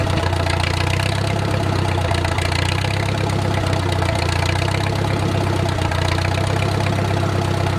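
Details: Wartime H tractor, run after 20+ years sitting, at full operating temperature with slowed idle: a steady, even, low-pitched idle with no knock or tick and great oil pressure, a normal healthy idle.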